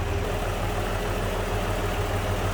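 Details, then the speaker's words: 1960 Mercury Comet inline six (previous owner states 170 cu in), with an added aluminum radiator, heard under the hood at idle: an even, steady low idle with no knocks or ticks. A smooth runner. "Previous owner states this is the 170. Aluminum radiator's been added. Battery disconnect. Smooth runner."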